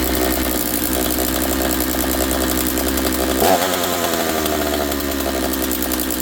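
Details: Husqvarna 66 chainsaw, freshly assembled, bench run: high busy two-stroke buzz, idling fast and slow to return to idle; running lean, attributed to air density, idle mixture to be adjusted.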